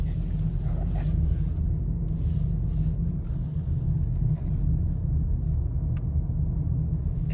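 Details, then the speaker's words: 2020 Toyota Corolla on a left turn after removing a caliper hook left from a rear brake job that rubbed the tire on right turns: steady road and engine rumble, no rubbing. "here's a left-hand turn noise is gone so you're probably asking why did it make noise in One Direction and not the other"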